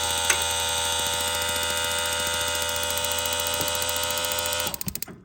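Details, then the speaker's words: Propane camper van shower with a water pump and no propane connected: rapid, steady igniter clicking, three to four a second, over a faint pump hum. This normal sparking shows there is enough water flow to trigger the heater. "So you should hear like a clicking noise. Once I get the water flowing, that's the spark that ignites the flame to heat the water in here."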